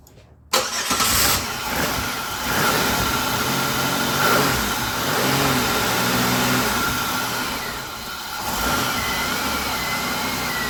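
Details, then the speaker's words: Engine with aftermarket Dorman mass airflow sensor, runs while accelerator is held, then sags, chokes and wants to stall as throttle eases; MAF signal reading stuck high. "So if you hold the accelerator pedal, it'll run, but then it'll want to choke up and stall."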